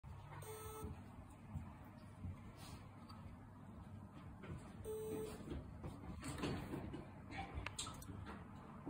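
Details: Seagate 6TB SATA 7200 rpm ST6000NM235 failed hard drive after PC start: short mid-pitched beep about every five seconds over fan noise. POST frozen six minutes, then drive not recognized in BIOS.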